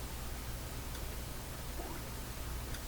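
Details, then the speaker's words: Canadian Spartan Model 5542 radio/record player with unbaffled speakers on the bench: slight constant hum under hiss. It is suspected to come from the wiring and disappears when the volume is turned down. "There is a slight hum. You can hear. So that is probably due to the wires coming up into here."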